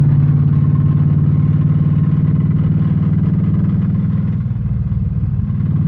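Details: LS3 engine with two spun rod bearings; heavy deep knocking in a fast steady beat, about four per second, over the engine rumble; rod knock.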